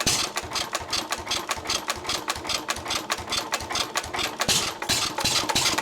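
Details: 1923 3.5 hp Emu (rebadged Hercules) engine, restored early 1980s and unused 20+ years, after oiling the sticking magneto and exhaust-valve mechanism: sharp firing beats in uneven hit-and-miss groups with coasting gaps; it runs pretty well.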